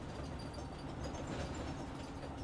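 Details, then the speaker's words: New Entegra motorhome, about 1,300 miles at purchase and about 2,705 now, heard inside while driving: faint high short squeaks repeating constantly over road rumble at any speed, only absent on very smooth roads. Source unconfirmed; roll-down sunshades suspected. "So this little squeak, squeak, squeak, squeak, squeak, squeak, squeak is constant unless you're on one of the smoothest, comfortest road out there, which is very impossible to find."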